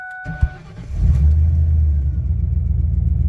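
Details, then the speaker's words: V8 Ford Ranger after a fuel system upgrade: Walbro 255 in-tank pump, in-tank regulator removed, kinked fuel feed line replaced. First start on the new tune after the computer reset: brief crank, then a steady, even low V8 rumble. Clean start and healthy idle. "it starts and runs so this should be my tune now"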